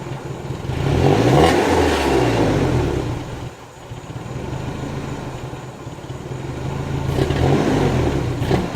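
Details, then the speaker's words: Nissan 240SX S14 after a new fuel filter install: revs rise, then sag and stumble midway before picking up. A slight throttle hesitation remains but is a lot better than before. "new fuel filters in it still does a little hesitation it's a lot better"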